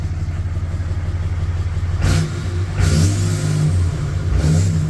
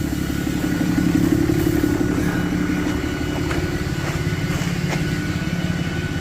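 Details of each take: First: 4th-gen Ram 3500 Cummins with a cheaply rebuilt HE351VE variable-vane turbo, actuator not yet relearned: three quick revs from idle with no whistle, rattle or scraping; sounds like before, maybe slightly more spool with the vanes more closed; normal. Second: 4th-gen Ram 3500 Cummins, HE351VE turbo with failed actuator: heavy diesel rumble with a thin, steady jet-like whistle above it; variable geometry vanes stuck closed, no power, dumps fuel; turbo to be rebuilt.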